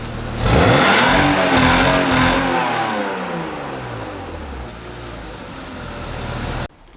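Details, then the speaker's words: BMW E36, automatic swapped to manual, briefly warmed up, free-revving in the garage before a tune: revs climb hard, then hold against a low ceiling around 5,000–5,500 rpm and fall away; the rev limiter cuts in early. "we'll show you what we mean about that weird limiter situation. So it wouldn't go all above 5.5, I would say."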